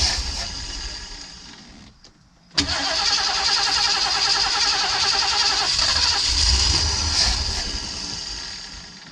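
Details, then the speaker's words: 1979 Ford Pathfinder Quadravan 4x4 with a new carburetor, choke propped open: steady fast starter cranking, about three or four turns a second, with no firing; owner believes it isn't getting fuel. "I don't think it's getting fuel. It's my guess it's not getting fuel. Yeah, it ain't getting fuel."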